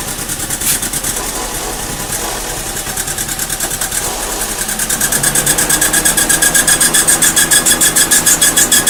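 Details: Mazda Protege (2000 or 2002) very rough idle under diagnosis: idle pulsing about three beats a second, surging louder partway and never settling; cause unclear.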